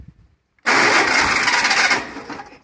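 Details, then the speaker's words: 1300 cc air-cooled VW engine, sat since 1993, first start attempt: harsh metallic grind for about a second while cranking, then dies away; starter not meshing, wrong starter for this flywheel. "i think that would be the starter we ran out of fuel all right so obviously this starter is not the proper one to be using with this flywheel so we're not going to be using it any longer"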